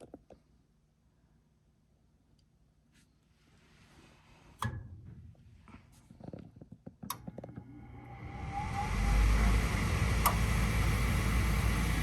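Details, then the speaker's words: 80% furnace after inducer fan motor assembly replaced and power restored; a few clunks then fan spins up to smooth steady whoosh, no rattle, scrape or wobble; normal inducer fan operation. "There we go. Our inducer is up and running. Everything sounds good."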